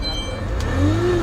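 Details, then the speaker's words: Peugeot 607 V6 ES9J4S (Z8 phase 1) idling with a low moaning whine rising slightly in pitch from a noisy power steering pump, not the water pump; needs fixing before it fails completely. "Yeah, the power steering is noisy. The power steering pump is noisy, so then they have to sort that one out before it fails completely."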